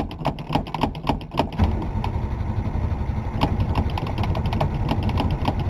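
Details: 1962 Ford Falcon with a 200ci six on its first start in a while, fuel hose just primed and the pedal pumped. Steady starter churn at about four beats a second; it turns over but doesn't catch yet, possibly no fuel at the carb.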